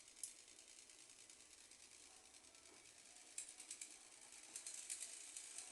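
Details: Small household fan that would not turn on, running at speed one after a broken wire was soldered: light, fast ticking rattle in uneven bursts over a faint motor hum. Cause suspected, not confirmed.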